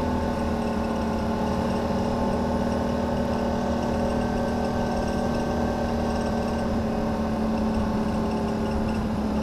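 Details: 2009 Can-Am Renegade ATV with a constant whirring hum over the steady engine drone. Owner first suspected a CV shaft but traces the odd noise to the CVT housing. It ran fine a week earlier, and the temperature dropped 20 degrees since.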